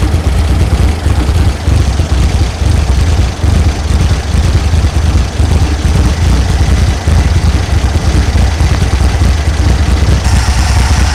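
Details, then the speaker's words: 1964 VW Beetle just started after new carburetor, rockers, coil, cap and rotor: deep, uneven loping idle; may have a cam in it, not confirmed. "it sounds like it has a bit of a cam in it not sure might have to talk to you know talk to talk to the owner and see if it does or not"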